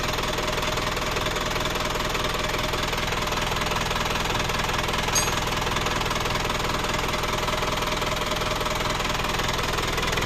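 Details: Isuzu Panther Kapsul diesel after engine overhaul, twice in a month, sounds rough: steady idle with coarse, even metallic rattle about two or three beats a second; loose, worn timing idler gears.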